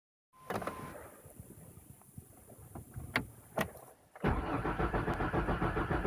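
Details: Mazda 626 after sitting overnight: cranks a few seconds, fires, idles with steady rapid knock about three per second that goes away within about half a minute; cold-start engine knock.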